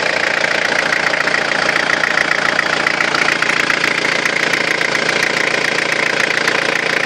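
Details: Running engine with a high, steady whistle that never lets up; excessive turbo whine from a faulty turbocharger.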